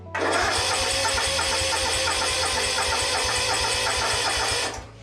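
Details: Yazoo/Kees ZT Max 42" zero-turn with Kawasaki engine, jumper cables attached, fuel pump swapped for another used one: even starter chugging, about four seconds of steady turnover, stops without firing; cranks but won't start, suspected fuel delivery, not confirmed.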